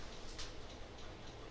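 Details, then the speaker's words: Mid-2011 27-inch iMac with a reportedly new hard drive, during a Mac OS X Lion install: light repeated ticking over a low hum from the hard drive, cause unclear, stopped after the case was hit. "Were you like playing the drums or something? Do you hear that? It's like... We starting a rock band? You playing the drums?"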